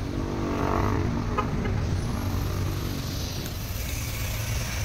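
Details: Mitsubishi Montero 4N15 diesel after piston rings, injector washers and head gasket replaced for heavy black smoke and dipstick blowby: steady even low-rumble idle, no misses or knocks, no smoke now; healthy, problem solved.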